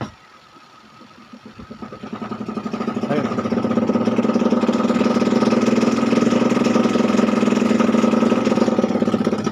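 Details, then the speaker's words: Panasonic twin-tub washing machine spin dryer, which shakes and is very noisy from switch-on: hollow plastic knocking about three per second, building as the tub speeds up; cloth suspected wedged between the tub and spin drive motor shaft. "baka nasingitan to ng ano eh ng mga tela o ano kaya yung ingay niya ganun eh parang may tinatamaan siyang ano eh plastic"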